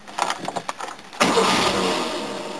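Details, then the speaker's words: 1969 Mercedes W111 220SB after fitting a new battery, previously hard to start hot: quick even cranking about a second, fires immediately with no gas pumps and runs steadily; healthy start. "oh it's happy now now that's with no pumps of gas"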